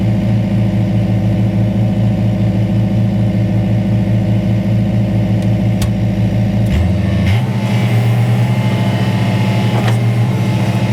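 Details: Detroit Diesel-powered car crusher whose hydraulic tank was found holed by a bump, which explained why it held so little oil. Steady drone that dips and settles as the hydraulics take load around seven seconds; normal hydraulic operation.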